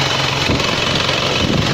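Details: Isuzu Panther Royale diesel, checked after a 24-hour trip with a dry engine and a suspected bypass return hose leak: an even, fast idle clatter with a steady beat, no misses, knocks or smoke, healthy and normal.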